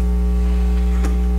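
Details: Fluance RT85T turntable setup: a steady low mains buzz through the speakers, probably a ground loop; cause suspected, not confirmed.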